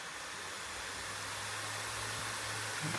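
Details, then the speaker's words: Acer Nitro 5 AN515-58 gaming laptop, fans set to maximum with no load: steady airy rush with a low hum, constant speed, no rattle or ticking; quite noisy while the temperature drops, but the fans sound healthy. "can hear it, so it's quite noisy actually when you're playing, and you see GPU, CPU, fan going on the maximum, and the temperature going down, of course."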